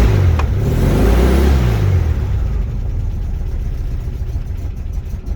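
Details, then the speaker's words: 1969 VW Beetle, started with a little gas: short rev dies away instead of settling into idle and the engine stalls; owner thinks idle adjustment is off. "and cuts out so gotta do some about that all right so i think the idol is a bit knackered"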